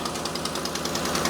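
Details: Engine idling with a fast, even puffing tick about ten times a second over a quiet idle, typical of an exhaust leak, which the owner acknowledges the vehicle has.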